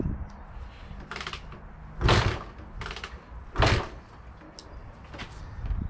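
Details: Barn-find Honda MTX200 two-stroke with oil-injection pump disconnected, reportedly no second gear, on choke: several heavy kick-start thumps with no firing, engine turns but won't start despite having spark and fuel; ignition suspected, spark to be checked.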